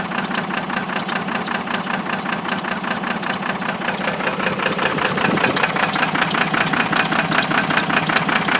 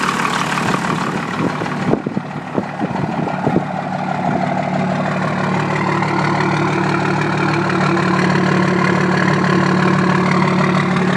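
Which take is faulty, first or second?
first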